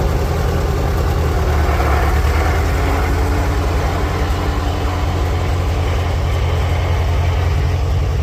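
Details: 1946 International Harvester Farmall H four-cylinder, in neutral after a pushrod replacement and deep cleaning, with a low battery: deep, even low thump at a steady idle with no misses or knocks; smooth, normal idle.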